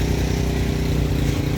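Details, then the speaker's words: Yamaha Jupiter MX New 135 (2011 or 2012) single-cylinder at idle after replacing the CDI unit, following complaints of severe hesitation and bogging on initial throttle, low power and high fuel use: quick, even, steady idle with no stumbles or misfires; normal idle. "Sudah nyala ya motor sudah kita nyalakan. Untuk stasioner atau langsam sangat normal sekali."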